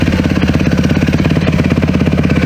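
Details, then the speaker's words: Yamaha YZ450 single-cylinder dirt bike after carb rebuild replacing melted mid-body gaskets: fast, lumpy, sputtering idle with no clean rhythm; owner believes it runs too rich, jetting set to compensate for the old air leak. "I've come to realize that since I fixed the carburetor and did all the mid-body gaskets, it appears to be running way too rich now."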